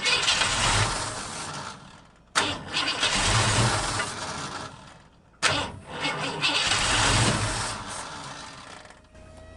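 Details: 1950 Ford F1 truck, long stored in a barn, with dirty carburetor, on car cleaner spray: two crank attempts each catching with a quick roar then fading within two seconds; ignition fed only while cranking.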